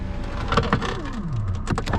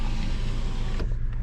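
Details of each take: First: 2010 Hyundai Elantra power window: motor whirs with a falling then steady pitch amid clicks but the glass doesn't move; motor works, window regulator failed. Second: 2010 Hyundai Elantra 2.0L, power window repaired before state inspection. An even, unbroken motor hum across the full travel with no grinding, clicking or straining; the window now works normally.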